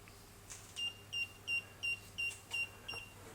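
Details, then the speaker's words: Infinity Shield garage door safety sensor during installation; steady high beeps about three per second while the beam is blocked; safety beam alert working as intended. "red light is flashing as well so that means that the there's nothing completing the signal and it'll continue to beep like that"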